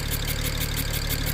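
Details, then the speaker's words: 2007 BMW 335xi just revived from non-running, coil packs replaced with used OEM ones: idle with a quick regular tapping pulse about six per second over a deep lumpy note, engine rocking; misfire, possible exhaust leak suspected. "Definitely a misfire, though. I can see the engine kind of rocking back and forth a little bit."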